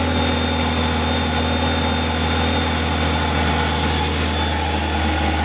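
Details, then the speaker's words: Subaru Tribeca 3.0 H6 with newly installed supercharger, original drive belt, custom exhaust, at idle: clear steady high whistle from supercharger bearings not yet worn in, expected to fade with time. "so as you can hear the bearings are still not completely worn in so the whistle is still in the supercharger this will go down in time a lot"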